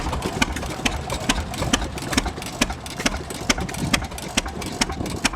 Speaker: I think this is a governoring, I can't say that very well, governoring throttle. So it hits on every time. But it sounds good.